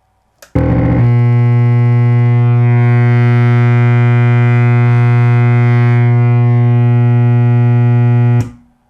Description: A JBL RSW-D110 Subwoofer with a LOUD Humm/Buzz with nothing connected. I found one of the main filter capacitors was defective and needed re[placed.